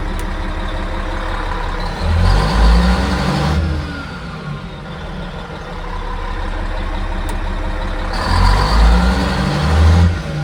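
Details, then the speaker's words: Cat 3406E diesel in a D400E Series II haul truck after rebuild and engine ECM swap: heavy low decel bursts but thin braking bark; Jake brake works only on the middle housing (two cylinders), front and rear housings still not working. "the Jakes are still not uh working on the front and the rear housing only the middle one is coming on still yet so that problem is still there"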